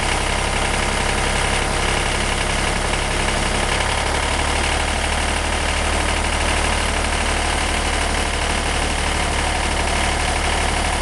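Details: 1963 Renault N70 three-cylinder diesel tractor after fitting three new cylinders in October 2013, 60 hours since; steady unhurried idle beat, no odd knocks; normal idle.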